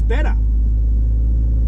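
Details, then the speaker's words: Porsche 911 2.8 RSR build on a Link ECU, cold start, no throttle: catches quickly and settles into a steady, even low rumble with no stumble; starts better than before, a clean cold start. "that was better there was no throttle then and it started up better so uh good start good sign"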